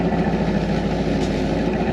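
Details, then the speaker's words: 2000 Ford F250 5.4 L V8, replacement engine about 3 years old, after new fuel injectors, spark plugs, coils, fuel filter and pressure regulator: even, steady low exhaust burble at idle; former popping gone, smooth with almost no idle vibration. "I'm just going to listen to How smoothly the exhaustive sounds as I remember before it had a pop sound and now it is just nice and smooth"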